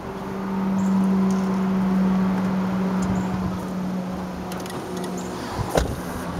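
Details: 2003 Saab 9-5 2.3T HO, 132K miles, morning start: steady starter drone with uneven chugging for several seconds without catching; hard start, car runs fine rest of day, fuel pressure being tested.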